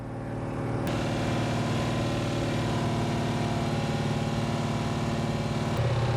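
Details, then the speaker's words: Pontiac 455 V8 during cam break-in in a '67 GTO, coolant near 195–200°F with a leaking radiator hose: light, regular tapping over a steady fast idle, so he backs off. "So I backed off because I heard the noise."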